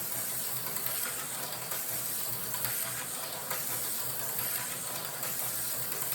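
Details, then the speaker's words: Rebuilt slot car chassis with silicone tires, aftermarket flat Magnum pickups, small Tyco front axle with narrow F1 tires, freshly oiled: steady high-pitched electric whir with fine rapid ticking, smooth; pickup tension maybe slightly strong, healthy runner. "For pickup tension, might be a hair strong. It is smooth."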